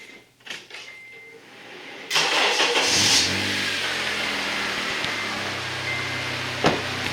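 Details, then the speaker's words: 2004–2008 Acura TSX after replacing the alternator with screaming bad bearings: quick crank catches cleanly and settles into a smooth even idle with no whine or squeal; engine starts and idles normally, noise gone. "this thing has never sounded disquiet perfect"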